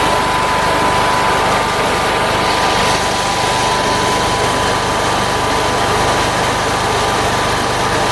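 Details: Generac generator with Briggs engine, first start after governor rebuild with the governor speed already set: steady, even engine drone with a constant high hum, no hunting or surging. Governed speed is running smoothly, voltage slightly high with the regulator not yet adjusted.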